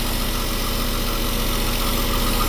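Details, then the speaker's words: Westerbeke marine diesel generator, slowly overheating after 45+ minutes, after a flush, warmed up after a long run with battery chargers on: steady, evenly spaced beat at constant speed, no misses or knocks; a small leak is being checked. "Alright, she's been running for a while now. She should be plenty warmed up."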